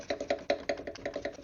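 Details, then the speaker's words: Jeep Wrangler JK radiator fan, removed and spun by hand, gives a loose, uneven clatter about five times a second, the "gurgle" heard while running; owner suspects a worn fan motor bearing. "You hear that? Yeah. That little jiggly. That's what I would hear all the time as it was running. I'm just guessing that bearing is shot in there."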